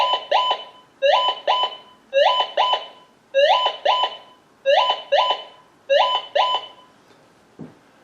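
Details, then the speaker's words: Minelab GM 1000 (Gold Monster) metal detector, indoor table test with an unidentified sample: paired two-tone beeps about once a second, seven pairs; the detector's non-ferrous target signal. "If it's going right side, you know it's going to be a non-ferrous metal."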